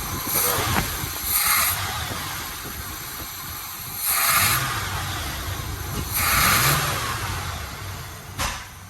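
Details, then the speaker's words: 1980 Chevy Malibu that stalls pulling off from lights, carb suspected: throttle blips give uneven bursts with sharp backfire pop over a shaky lumpy idle; carburetor needs tuning, cause unconfirmed. "I heard that. So it backfired, right? Number one, it backfired. And it's shaky as hell."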